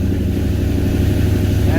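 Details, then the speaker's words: 1978 Ford Courier in cold weather, rebuilt carburetor: quick catch, then a steady even low rumble with no misses or knocks, normal start and idle; alternator checked at about 14.1 volts. "okay I forgot this thing starts right quick I always forget that I did this carburetor pretty good"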